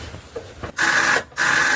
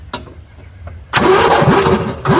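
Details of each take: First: Golf cart with Predator 420 engine, cranked on full choke after sitting outside for months: two short, strained starter whirs and no firing, the small onboard battery very dead; weak cranking from dead battery. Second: 1980 Yamaha G1 golf cart with Predator 420 swap, about 50 degrees, after replacing fouled spark plug, running without air filter: catches after a couple of short tries, then steady, even single-cylinder run; normal start and running.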